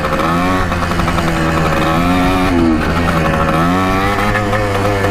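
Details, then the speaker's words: 1984 Yamaha IT200 two-stroke dirt bike under riding load: buzz keeps sagging and picking back up, bogging and surging. Rider suspects an air leak or fuel starvation. "let's get an air leak somewhere we're not getting fuel or something wasn't doing this before feels like we're running out of fuel"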